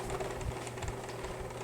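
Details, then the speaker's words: Aries 14B8878 10-inch box fan from 2002 running: steady hum with rattling, uneven chatter and scratchy ticking from dry, squeaky bearings and a badly out-of-balance blade. "yeah see this is just dry bearing noise there is air flow not much but it's"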